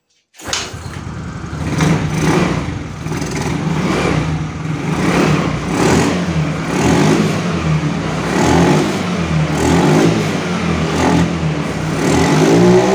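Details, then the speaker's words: Yamaha Mio Soul GT scooter that dies when throttled, no MIL code or scanner reading: uneven surging revs, picking up only with petrol added at the air filter intake; test confirms a weak fuel injector. "terus kita coba digeber kalau mau berarti e ada kemungkinan injektor yang bermasalah lemah"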